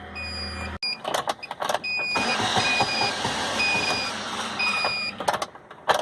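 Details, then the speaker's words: 2012 Chery QQ, first start: engine catches with a low steady hum then cuts out within a second; it starts and dies unless accelerated, cause not confirmed. "é o problema do Carla você da partida ele funciona e morre em a sapatilha ele funciona morre você tem que dar partida e acelerar"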